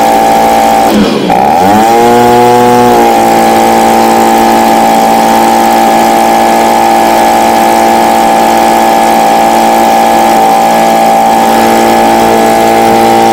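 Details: Stihl BG55 handheld two-stroke leaf blower bought as a no-start, after replacing the carburetor (old one had torn diaphragm) with new C1Q-S68G: dips, then revs high and settles slightly, holding a clean steady whine without surging; runs properly.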